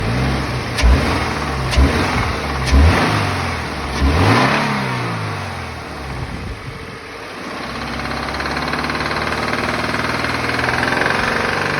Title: FA20 on ‘15 BRZ knocking sound